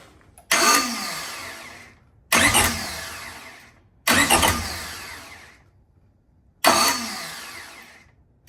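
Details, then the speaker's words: Honda Civic (B-series build), stock flywheel refitted after a lightweight one was removed over suspect ring-gear teeth: four cranking bursts each whir about 1.5 seconds then cut off, engine never fires; same starter fault persists, so the flywheel was not the cause. "All right, guys, so I don't know what's going on, but it just did exactly what it was doing before. So now I'm 100% convinced that it wasn't the flywheel."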